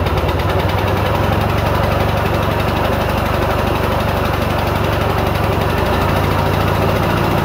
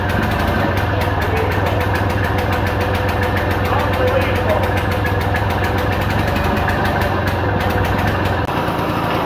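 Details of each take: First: 1940s Simar two-wheel tractor rotary tiller, single cylinder, first start on day two after welding repairs: steady regular thump at constant speed, no misses or knocking; running healthy. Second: 1940s Simar two-wheel rotary tiller, single-cylinder engine started after carb priming: slow, loping uneven chug that then stalls because idle speed is set too low.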